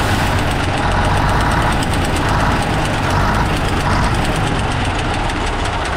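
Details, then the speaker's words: Diesel engine at idle: sharp, hard, unpleasant repeating knock from a bent valve pushrod, so the valve doesn't release compression fully at the right time. No lubricating oil is reaching the front, while the rear gets oil. "Các anh em mình thấy cái tiếng kêu rất khó chịu đúng không ? rất là đanh. đó là cái việc mà cái khí nén bên trong nó không được giải tỏa đúng thời điểm, Tại vì nó đang bị cong cái đũa đẩy này"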